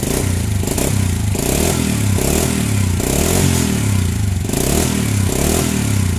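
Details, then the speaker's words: Honda Supra Fit/Grand/Legenda that died when hot, after replacing the weak stator coil (spul) with a new one: small single-cylinder starts and revs cleanly, even firing with the throttle, no misfire; ignition normal. "Ini sudah enak ya, normal untuk pengapian, tidak ada masalah."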